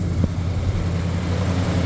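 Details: 1977 Ford F-150 idling; voltmeter reads 14 volts, charging: steady, even low idle hum with no knocks, misses or squeals; running smoothly, normal.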